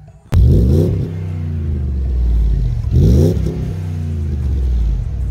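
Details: 2006 Jeep Grand Cherokee WK 5.7L V8, Magnaflow exhaust after cracked front muffler replaced with Magnaflow glasspack: two clean revs, deep even rumble settling to steady idle, no puffing or ticking leaks.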